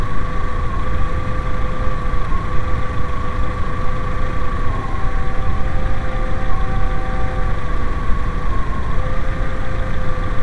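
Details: VW 2.0L idles evenly, then briefly stumbles and dips; intermittent misfire caused by liquid conducting along the ignition coil, mainly from number three cylinder.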